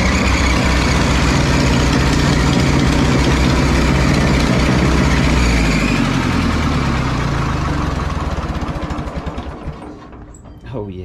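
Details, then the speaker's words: 1950s Ferguson TO-30 tractor after electrical fixes, just cranked to warm up, oil long unchanged: even, regular idle at about four beats a second, smooth with no misses, then winding down at shutdown; healthy engine. "now today I'm finally just going to Crank It Up should fire right up and then I'm gonna let it warm up for a minute"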